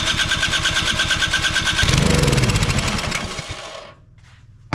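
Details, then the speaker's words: Troy-Bilt Storm 2420 snowblower (model 31AS6KN2B23, Huayi carburetor) that won't start: with the choke on it fires and runs rough on starting fluid, then sputters and dies within seconds; a carburetor or bad-fuel problem is suspected, not confirmed. "we know that it fires up if it gets fuel to it carburetor or fuel related issue at this point"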